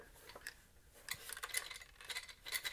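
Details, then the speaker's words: Faulty Bowens Gemini G500R studio flash that won't flash and has a dead display after earlier repair attempts: light irregular plastic clinks as the unit is tipped. Internal rattle, possibly from missing LED lenses, not confirmed. "I can hear something rattling around inside,"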